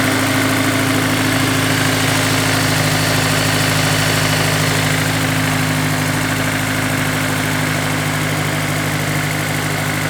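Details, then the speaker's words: Honda S2000 idling after installing a Ballade Sports timing chain tensioner and a VTEC solenoid gasket, recorded away from the intake and vacuum pump: even, smooth idle with no chain rattle, much quieter than before; normal idle. "I can already hear a difference the TCT is doing its job sounds much quieter much less sticky"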